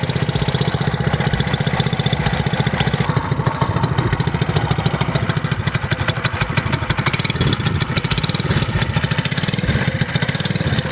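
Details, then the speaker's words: 212cc engine (CT100U) after installing billet connecting rod and flat-top piston idles with a quick, even single-cylinder beat, no knocks or misses; running noticeably smoother than before, possibly from the lighter rod. "really good. Sounds like it's running smooth. Sounds like it's running a lot smoother than it used to. Maybe the lighter weight rod"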